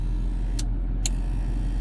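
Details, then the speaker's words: Jaguar XJS straight-six 3.6 or 4.0 at idle: engine rumble with three unevenly spaced flasher clicks, indicators and hazards both erratic; irregular turn signal flasher ticking, bad connection suspected. "oh that doesn't sound good oh we got a bad connection somewhere what about the hazards they do the same yeah all right so there's bad connection there"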